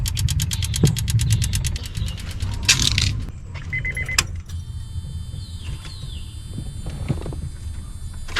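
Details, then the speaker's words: 2002 Honda Accord coupe V6 after timing belt, water pump and radiator work: starter churns regularly but engine never catches, no fuel pump whir after a light tap; owner suspects bad main relay or defective part, unconfirmed. "Okay, I did a light tap. I don't know if it's going to start now. Nope. Could I have gotten a bad main relay?"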